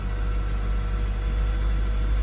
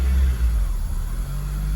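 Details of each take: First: 2002 Acura RSX Type S with K20 engine, 10–15 seconds after a cold start: smooth, steady idle held at about 1500 rpm, a little higher than normal, with no misses or hunting yet. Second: 2002 Acura RSX Type S, K20 engine, warm after a few minutes: idle hunts and surges, rising and dipping unevenly with no throttle; idle air control valve stuck open, letting in extra air.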